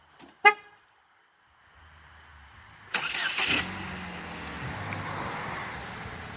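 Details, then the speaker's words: 2008 Chevrolet HHR with a cam/crank correlation fault, bought with no exhaust and an out-of-time engine. First start after a new timing kit and exhaust. A horn toot, then a quick catch and an even, quiet idle with no rattle. Normal start and idle. "First official start on the HHR with the new timing kit and exhaust."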